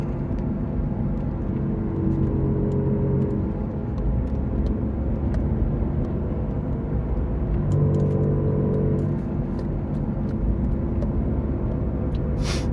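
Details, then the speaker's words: Toyota RAV4 driving at about 45 mph, turning left and right: road rumble with low humming growl swelling under load; differential whine, worn differential, needs a diff; wheel bearing also showing noise. "You see that differential is making a lot of noise."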